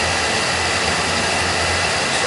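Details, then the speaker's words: Oil burner running after being tuned, with the air band pulled back and a reading of 500; constant airy roar holding level with no rumble or flutter. It sounds pretty good: normal, stable burner operation. "We sound pretty good."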